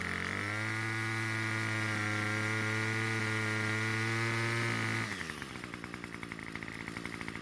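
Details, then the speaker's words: Two-stroke trimmer at spring start-up; high steady full-throttle scream sags into lumpy sputtering burble, fixed by turning L screw out about a third of a turn and H screw slightly: lean carburetor bogging. "I didn't make it very far before I started to bog down under full throttle I had to turn the else screw out about a third of a turn"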